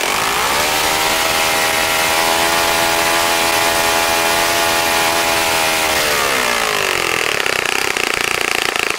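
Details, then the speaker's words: Saito FA-65 model engine on its first run after rebuild, APC 12x6 prop, Morgan's Omega 10% fuel, Fox Miracle plug, heavily primed to start; steady clean high-pitched scream at full throttle, smoothly dropping as throttled back; normal full-throttle run. "okay John as you can see how so pretty nice running engine after a rebuild like that"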